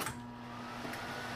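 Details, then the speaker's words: Goldstar MV1611BB microwave with the faulty switch jumped: steady, even low hum with a faint higher whine, no buzzing or crackle; the transformer energises normally and heats water, confirming the switch is bad. "know how well shows up on camera but I can hear the hum of the transformer and I did test and the water got hotter so that's the problem that switch isn't working"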